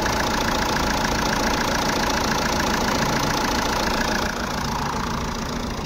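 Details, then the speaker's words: Jeep Compass diesel idling after alternator pulley replacement, heard in the engine compartment: steady even idle with constant hum, no chirp, squeal or rattle from the belt drive; earlier grinding gone, engine bay silent. "जो हमारा बाहर का आवाज आ रहा था engine का व हमारा क्लियर हो गया है यहां पर इंजन कंपार्टमेंट में कोई आवाज नहीं है एकदम गाड़ी हमारी साइलेंट हो गई है"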